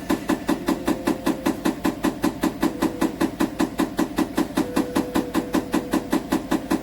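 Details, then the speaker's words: GEDTECH GLL71200WH 7 kg, 1400 rpm front-loading washer, under three months old: steady hollow knocks about 2.5 per second as the drum turns. The drum strikes the door and leaves a mark; the owner calls it a manufacturing defect, and the machine shakes. "Et le tambour, quand il allume, ça touche à la porte. Il y a une trace ici."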